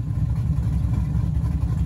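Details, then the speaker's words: One drive around the block in freezing winter weather after rebuilding a rear differential that had whined from day one. Low, even rumble with no gear whine rising over the road noise: the rebuilt rear end sounds healthy. "And she sounds healthy. Drove it around the block one time."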